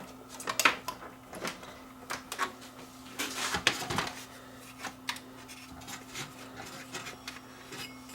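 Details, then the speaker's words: Panasonic DMR-E20 DVD-RAM/DVD-R recorder, about 20 years old, powered up after drive service with front panel off: irregular plastic clicks and clunks over a low hum as the tray keeps reloading; owner suspects a disc in/out micro switch. "oh still might be a little switch that's acting up there there's a there's little switches that detect when the disc is out or in"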